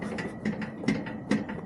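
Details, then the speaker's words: Yard Machines MTD riding mower: light irregular clunks and rattles as the engine rocks, noise mainly at start-up and shut-off, visible play; engine mounting bolts found loose, not broken, to be tightened. "Okay, so none of the engine bolts are broken. I guess they're just loose."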